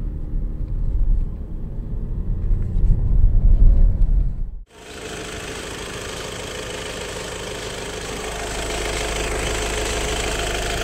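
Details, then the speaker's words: Idling engine with 605,000 km in 9 years gives an uneven light rattle, about three beats a second, from the back of the engine under a low rumble, on first start whether cold or warm; the cause is suspected but unconfirmed. "ilk çalıştırdığımızda tane ne kadar bir ses arkadan veriyor arkadaşlar takır takır takır takır"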